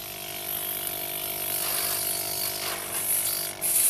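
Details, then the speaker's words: Scrapped refrigerator compressor repurposed as a motorbike tire pump, cut open, welded, repaired and refilled with fresh oil, first run on uneven ground: a steady, quiet low hum with a strong rushing hiss of air; runs normally. "Và các bạn đã nghe thấy tiếng máy nó hoạt động rồi đấy. Đó. Cái máy đang chạy rồi đấy."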